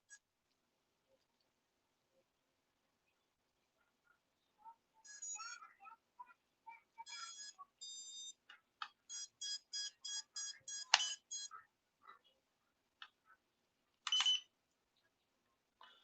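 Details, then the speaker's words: FPV drone: high ESC chirps repeat in short groups and the motors never spin or arm. Owner suspects the receiver isn't bound or another battery is needed; cause not confirmed. "this is it's just me i can't even get it to spin probably need that do i need another battery in it it's like beeping maybe i don't have it bound"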